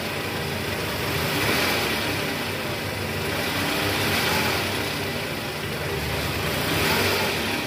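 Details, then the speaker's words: 2010 Toyota Camry 2AZ-FE, 127,000 km, heard from the side after the crumbled balancer shaft was replaced. A steady, smooth idle with no knocking or rattle; the engine sound is back to normal. "Oke sip suara mesinnya udah normal guys jadi memang penyebabnya dari balancer shaft yang hancur"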